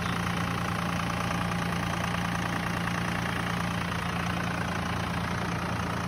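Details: 1999 Dodge 2500 5.9 24V Cummins started around -3°F in Iowa, unstarted for weeks: fast, steady diesel clatter at raised idle, a little rough and lopsided but even, the normal cold three-cylinder high-idle warm-up mode.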